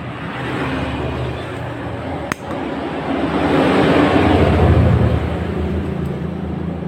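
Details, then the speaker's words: Honda Scoopy donat scooter pushed in non-running, harsh sound after repeated shop visits: rapid clatter about four beats a second over idle from the cylinder head area; suspected camshaft bearing, engine teardown needed. "Nah itulah sumber suarane yo Nah Kayaknya ada di area silinder head entah laker noken atau laker piano atau Karno"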